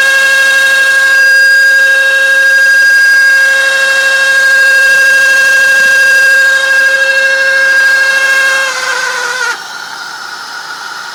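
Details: 2001 Chevrolet Impala, mostly after a cold start or sitting overnight, reproduced by switching on the AC: steady high-pitched whine from the driver's side, sagging and cutting out as the fan stops; worn bearing in a radiator cooling fan, fixed by replacing the fan.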